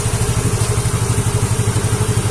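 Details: Yamaha Mio J fuel-injected scooter after fuel pump IC replacement, started once ideal fuel pressure was reached: steady, even low putter at idle with regular firing pulses, no misses or stumbles.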